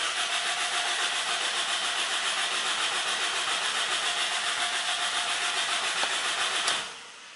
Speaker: no any start no even know any heavy Daisy okay and what's that mean when Pierce it wasn't that no any hesitation and no any start